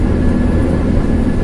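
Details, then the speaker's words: Nissan X-Trail T31 ST 2500 cc at highway cruising speed on a concrete toll road: a constant low droning roar of tire noise from the wheels with no engine beat, louder on concrete than on other surfaces. "tapi yang jadi permasalahan adalah seperti saat kita melewati jalan yang bermaterial Cor beton seperti ini Barat noisenya itu aku akan semakin tinggi jadi protesnya itu sangat terasa sekali sangat kedengaran sekali di-like adik"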